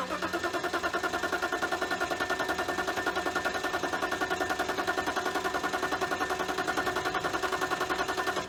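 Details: 1999 BMW 328i just after a new fuel pump, battery and air intake hose: engine runs only under steady throttle, with a fast, slightly uneven pulsing beat, and won't idle. The owner suspects a missing cylinder or leftover bad fuel.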